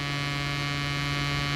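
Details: Bridge SB-3500 DP amplifier under repair: a steady low hum with a buzzy edge and no change in level through the speaker, pointing to a mains hum fault.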